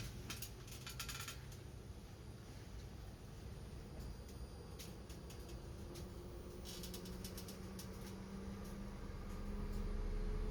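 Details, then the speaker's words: PSA-group car, high-speed radiator cooling fan activated via Launch Creader Elite V3 PC actuator test: steady whooshing roar, moped passing in street; fan runs smoothly, scan tool reports no fault detected. "Alors on peut tester le ventilateur haute vitesse aussi. Activation en cours."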